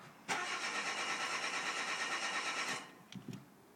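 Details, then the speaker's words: 2007 Renault Clio 1.6 with paddle-shift gearbox, start button pressed with brake held hard; starter whirs about two and a half seconds, engine never catches, stops when brake released; cranks but won't start, owner suspects something not connecting properly. "it's dark but it won't start taking it off the brake it stops"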